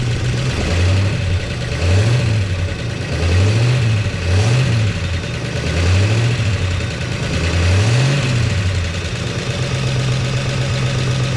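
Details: 1969 Chevy C10 engine with oil pressure restored to 50 psi. About seven quick throttle blips over steady idle rise and fall cleanly, returning to even idle; engine healthy and responsive.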